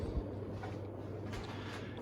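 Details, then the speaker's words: Casablanca Panama 5 Inteli-touch 50-inch ceiling fan on a hang true clip, needing no bearing work. Quiet, steady low hum with no ticking, wobble or scraping; running smooth and well balanced. "Very well balanced as well. And it is installed on a hang true clip, so that kind of really shows how well balanced it is, because if you have a fan on the hang true clip, it's usually a little more prone to wobbling."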